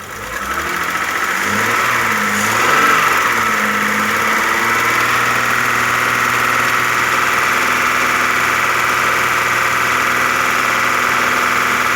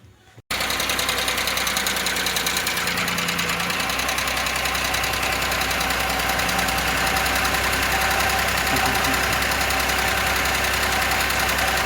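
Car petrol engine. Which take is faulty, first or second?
second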